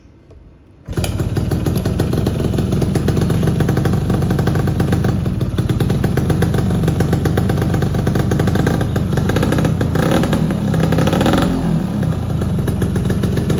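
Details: Yamaha F1ZR two-stroke after engine block teardown and full reassembly, first test start: fires up with crisp, even buzzing beat, revving freely and settling back without knocks or misfires; normal running.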